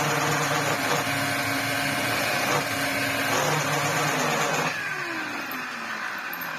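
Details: Electrolux Z504 twin-turbo vacuum from eBay, run without a filter, with good airflow and suction: a steady motor roar with a rough, uneven whirr from the brush that trails off as it slows. Worn brush roll bearings.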